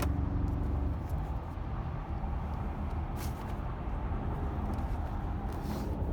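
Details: BMW with check engine light on; low, uneven idle with an irregular stumble and shake in the exhaust note, about three pulses a second. Sounds like a misfire, cause unconfirmed.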